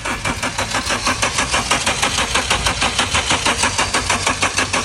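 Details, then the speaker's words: Car cranking steadily at about 94 beats a minute but never firing, despite throttle valve cleaning, spark plug and ignition coil checks and fuel line cleaning at a shop; crank no start, cause not yet found. "Stop, did you see it? This car won't start no matter what. Do you know the reason?"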